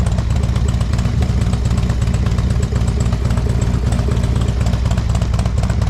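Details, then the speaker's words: 2007 Harley-Davidson Street Glide with a hard-starting complaint, after the spark plugs were dealt with: steady, loping V-twin idle with an even deep beat and no misses; normal idle. "well thought this thing was going to be a little more involved with troubleshooting uh but those spark plugs seem to have solved the issue"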